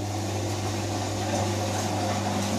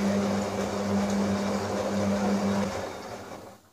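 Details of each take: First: Electra 17054E (rebranded Hotpoint, probably late 1990s) washing machine that trips the RCD on non-fast washes, set to spin to drain before heater element replacement: steady low even hum, no knocking or grinding; normal drain pump operation. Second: Electra 17054E washing machine (rebranded Hotpoint, late 1990s) on a non-fast-wash programme: steady motor hum and water noise, then everything cuts dead as the RCD trips; heater element leaking to earth.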